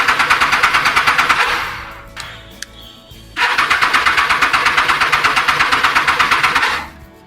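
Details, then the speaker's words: Triumph Street Triple R after K&N air filter cleaning, reassembled: starter churns about three beats a second, pauses, cranks again, never fires; fuel line not connected correctly, no fuel reaching engine. "Weird, something is wrong. So my initial thought should be the fuel line, which wasn't connected correctly."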